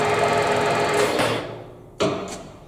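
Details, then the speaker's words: Harrison lathe motor and gearbox after grinding to increase a clearance gap to cure a nasty noise: smooth even motor and gear hum, no rubbing or scraping, clean wind-down; much better after the fix. "so now when I start here it's that's so much better"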